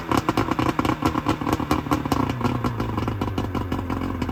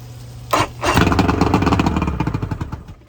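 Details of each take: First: 1999 Bayliner Capri with 125hp Mercury outboard during rebuild, extra oil premixed in the tank, waiting for the thermostat to open: steady, even multi-cylinder idle with light mechanical clatter, smooth but slightly slow; runs cleanly, idle a little low. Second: 1999 Bayliner Capri 125hp Mercury outboard during rebuild, old spark plugs: sharp catch, then a ragged two-second run that fades and dies; won't stay running, carburetors blamed, lower carbs spitting fuel, fuel treatment considered to dissolve deposits.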